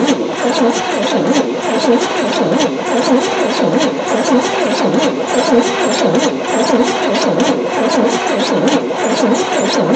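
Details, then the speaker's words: 1973 Chevy C10 squarebody, abandoned and not run for 27 years since '96, fuel line from the tank cut, first key attempt, engine oil found overfull and fuel smelling like bad gas: slow, labored cranking under one beat a second. Cranks but won't fire. "Alright, well, it cranks. Cranking pretty slow, but it cranks."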